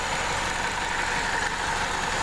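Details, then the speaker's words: Idling 2.2 L Ecotec petrol engine in a Chevy Cobalt, an interference engine, with a busy, rapid ticking clatter heard underneath: timing chain slap, the chain loosened by a worn-out tensioner. "the sound of the timing chain uh actually the tensioner is what goes bad and causes the timing chain to loosen up and you get uh timing chain slap it's in there slapping"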